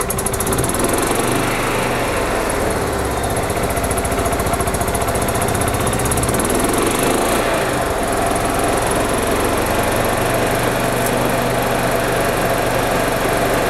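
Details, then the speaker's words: 1999 Club Car DS gas golf cart after new fuel filters and carburetor cleaning cured a crank-no-start: small engine screams at high, steady revs with a coarse rattling buzz; governor cranked to max, engine hitting the rev limiter. "this governor is cranked to the max on this cart. I was hired to get the cart running. That's what I did. I'm gonna tell the customer that I noticed the governor is, the engine's hitting the rev limiter."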